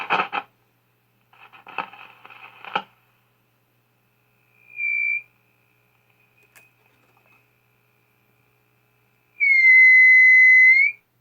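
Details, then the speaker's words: Zenith Z402Y AC/battery tube radio, bottom back on with speaker connected: noise bursts then a steady high-pitched squeal, audio feedback howl; suspected from wiring routed under the chassis, may need rerouting on top, or a grounding issue. "yeah I might have to reroute those wires may not be able to have them under the chassis for that reason probably why they were up on top to begin with"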